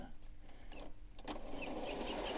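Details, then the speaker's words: Hornby Locomotion No. 1 model locomotive under power at slow speed: slow, uneven motor whirr with sharp high squeaks about four times a second, jerky running and stopping; faulty squeaking mechanism. "I'm just applying the power now and you can see the problem it's jerky it's stopping and you can hear the awful squeak from the mechanism there you go stopped"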